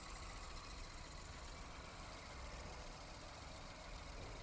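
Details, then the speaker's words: Car with 59,000 km, all original panels, new battery, no oil leaks: quiet, even idle with steady low hum and no knocks, ticks or rattles; engine silent and running smoothly. "Already vehicle రన్నింగ్లోనే ఉంది, ఎలాంటి sound noise అయితే రావడం లేదు engine"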